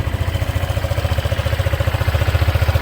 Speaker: นะครับเครื่องเดินเบานิ่งปกติเลยนะครับเสียงเครื่องเงียบๆนะครับ